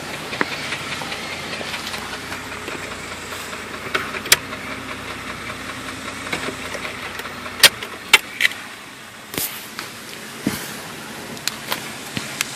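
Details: Jeep Grand Cherokee at idle: sharp, uneven knocks and clicks over a rough, hissy idle with no steady beat, seemingly from the front, mid to upper engine; flexplate considered but doubted, cause not found.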